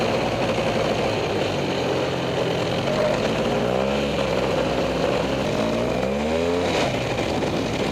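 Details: Freshly rebuilt Polaris 400 single-cylinder engine on a light, slow break-in ride around the yard after a few heat cycles: rises and falls evenly with gentle throttle, nothing knocking; sounds healthy, smoking noted.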